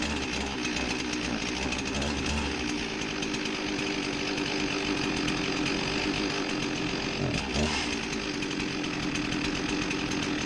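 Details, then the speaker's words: Husqvarna 261 chainsaw with a rebuilt carburetor and new air filter, hard to start: buzzing two-stroke sags and stumbles at the bottom end instead of picking up cleanly; lean low-speed circuit. "having a little bit of a problem getting this thing started [Music] well come on come on now listen to that blog on the bottom end"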